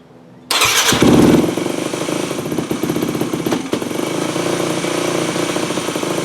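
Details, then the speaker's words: 2008 Yamaha WR250F, pilot jet 45, fuel screw 4 turns out: fast, unsteady high idle that stumbles, still very lean; pulling hot start lever makes no difference, suspected hot start plunger stuck open leaking air. "And I'm pulling the hot start lever in while it's running, and I'm not noticing a difference. It should run leaner, but it's not. So that has me guessing that, is the hot start sticking"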